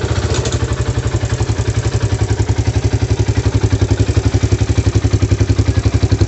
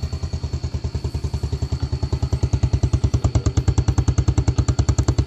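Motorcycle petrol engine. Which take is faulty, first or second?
first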